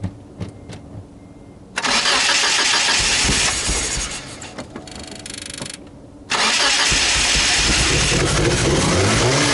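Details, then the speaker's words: Mitsubishi Galant engine with RC 550 injectors cranks and catches with a rough roar, sags, then fires unevenly and won't stay running; massive vacuum leak, after owner first suspected the MAF translator setting. "well we've got fire but it won't stay running and why does my Galant sound like a Subaru something made right from inside the car I didn't immediately hear the massive vacuum leak so it took me a little while to figure this out"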